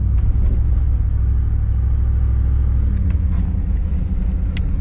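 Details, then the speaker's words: 1991 305 TBI V8 with Flowmaster exhaust, at operating temperature, after replacing TPS, IAC, MAP, cap, rotor, coil, plugs, wires, fuel filter and O2 sensor: low rumble rising and sagging as throttle is feathered; warm engine still surges, cause unknown. "I'm just feathering the uh the uh accelerator, but you see how it it has that little search? It still does it."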